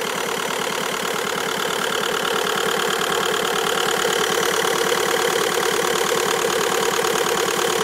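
Steady idle with a sharp, even tick about three times a second over the engine; source of the tick is unclear.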